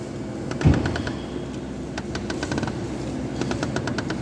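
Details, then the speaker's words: Jeep Compass front suspension worked by hand: short dry creaks and clicks in bursts from the sway bar link joints; worn link, fixed by replacing the sway bar link. "Tá vendo, ó? Tá arrangindo aqui nas junção dela aqui, ó. Aqui e aqui, ó. Tá vendo o rangido, ó?"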